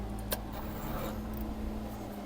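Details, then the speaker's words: Crosser CR1 electric scooter, over 2,000 km, new controller after burnout: with blue and green phase wires swapped the hub motor spins backward and races to near 90 km/h, steady hum and whine; wrong phase/Hall combination, risks overheating. "Поехал. Но неадекватно работает. Едет назад, видите? То есть он сейчас будет назад. Причём слышно, что мотор уходит в разнос."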